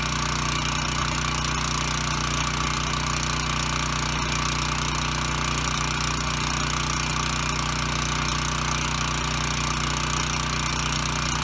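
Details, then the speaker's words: Ryobi RY905500 5500 W generator, running at no load, throttle aimed at no more than 62 Hz: even, steady engine drone, regular beat, no surging, misfire or knock; normal running, Hz and voltage good. "okay so the good news is it runs and makes power"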